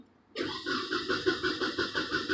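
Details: Nissan Altima crank-no-start after a fuel fill-up: steady starter chug about six beats a second with no firing; power, ground and injector pulse present, fuel smelled but no ignition, traced to a bad distributor rotor.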